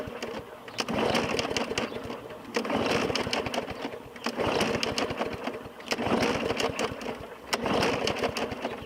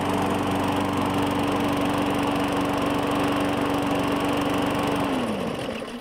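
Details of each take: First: 2017 Murray 21" mower, Briggs & Stratton 450E engine: repeated pull-cord bursts about two seconds each spin it without catching after primer pumps and fresh oil; no-start from a clogged carburetor bowl fitting, though owner doubts the carburetor. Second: 2017 Murray 21" mower, Briggs & Stratton 450E, after cleaning the carburetor: steady even hum for five seconds, then blade brake winds it down and it stops quickly and cleanly; normal running, no smoke.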